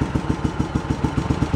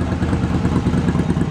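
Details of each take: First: Yamaha Virago 1100 V-twin, cold, during carburetor sync on gauges: lumpy, uneven idle pulses that turn ragged on a blip, with one cylinder pulling harder; carburetors out of sync. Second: Yamaha Virago 1100 V-twin after carburetor repair and sync, intake elbows still off, carbs balanced by feeling cylinder pulses: low, steady idle with evenly spaced beats and no missing or popping cylinder; normal idle.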